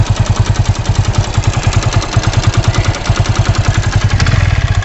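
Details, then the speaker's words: 100cc motorcycle engine often ridden at 90–100 km/h, before service: sharp, rapid knocking about three per second over the single-cylinder idle; engine knocking, resolved by service. "उसमें आप सुनिए कि bike में से, engine में से क्या cut cut cut cut cut cut की आवाज़ आ रही है।"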